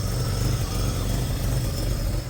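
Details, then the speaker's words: First-gen Ford Ranger four-cylinder, very high mileage (owner jokes a million miles), cam too big for it, idling: a lumpy, loping idle that otherwise runs steadily, with a known exhaust leak ticking along. Described as normal. "so ignore the exhaust leak and just listen to the wonderful lump of a four-cylinder with too big of a cam for the million miles that are on that motor wonderful"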